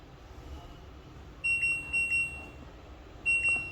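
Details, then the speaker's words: LG inverter front-load washing machine control board on bench, start button dead: touching another key such as temperature gives two short high beeps, showing that touch pad senses properly; pressure sensor error shown due to missing wiring. "வேறு எது touch பண்ணாலும் அது மாதிரி buzzer sound 2 time கேட்கும். அது வச்சு அதனோட sensing bad நல்லா இருக்கா இல்லையான்னு நம்ம ஃபைண்ட் அவுட் பண்ண முடியும்."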